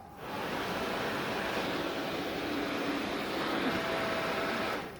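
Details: Small electric motor from a Yamaha FZX250 Zeal, bench-tested before disassembly: spins up and runs with an even, steady whir and faint whine, no rubbing or rattle; motor sounds healthy.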